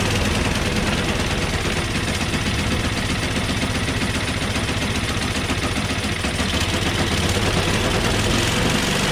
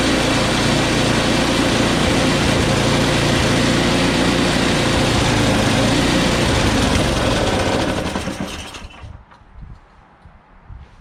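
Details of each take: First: Small snow blower engine, cold start on choke at high throttle with carb spray: loud, even, steady run with no misses or knocks; started right away, though it stalled once taken off choke. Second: Small engine started with carb spray after a quick carb clean: runs steadily about eight seconds, then revs fade and it dies once taken off choke.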